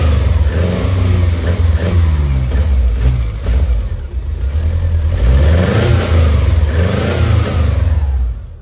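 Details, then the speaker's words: 1999 Subaru Legacy 2.2 engine in a VW bus, run briefly without coolant the day after first running: deep note blips up and drops back to steady idle several times, smooth with no misses or knocks; healthy. "well it's a runner guys so that's pretty cool I"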